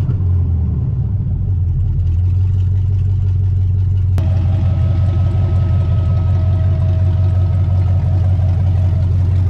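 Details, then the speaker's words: Built 5.7 Vortec 350 V8 (880 block) with open headers in a 2003 Chevy S10 ZR2, warming up after the fuel pump was primed. It gives a deep, steady, even burble with a faint tone midway and runs smoothly and healthily. "oh man that's the first time it's moved in so long oh it's running good too"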